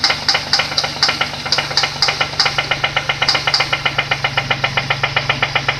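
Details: Nissan VQ20DE engine idling: sharp, even metallic knock about four times a second over a steady idle; connecting rod knock from the bottom end.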